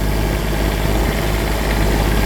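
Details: Cummins Onan RV QD 8000 diesel generator on a Jayco Seneca RV after oil, fuel and air filter service, leak check passed: deep steady even drone with no knocks or surging; idling smoothly.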